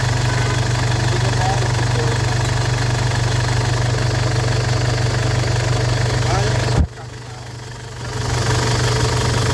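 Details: Ford Everest diesel, previously no-start with belt jumped timing, after replacing timing belt, glow plugs and rocker arms: steady low rumble, even beat around four per second at idle, no knocking; runs smoothly.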